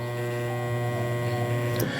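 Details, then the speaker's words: Salvaged CWC10A washing machine, inlet valve 1 powered directly through the orange wire: a steady, low, constant-pitch solenoid buzz with no chatter. The inlet valve works normally. "Ah e eu não sei se você consegue observar o barulho da válvula lá funcionando bem baixinho eu espero que vocês tenham ouvido"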